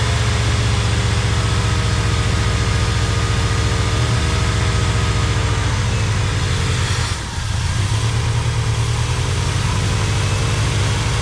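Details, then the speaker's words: 1985 Pontiac Trans Am V8 with electronic-feedback four-barrel carburetor, 34,000 miles, parked since 1998: steady lumpy idle with brief dip and recovery on primed fuel; fuel pump or stuck float suspected, pump later found working, carburetor issue. "So either the fuel pump is not working or the float is stuck in the carburetor."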